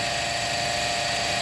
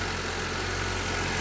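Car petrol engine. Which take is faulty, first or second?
first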